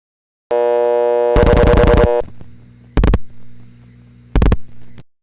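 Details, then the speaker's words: Panel telephone switch, dialing 722: sender dial tone continues through seven quick dial pulses, cuts out only after A digit register locks in sender, then loud relay clunks; digits registering properly. "We dial 722, noting that the dial tone is not removed from the line until after the A digit register is locked in the sender."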